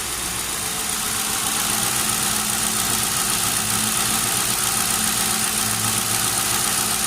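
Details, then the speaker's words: Town Car, first start after nearly a year idle, with replacement alternator: steady, even idle with a smooth low hum and no knocks or ticks, just some hiss on top; engine sounds healthy. "hear that oh yeah sounds real good"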